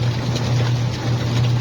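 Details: Manual washing machine after timer and gearbox checks and replacement of a capacitor that had lost capacitance. The wash motor hums steadily at a constant pitch with no knocking or grinding, spinning freely and running normally.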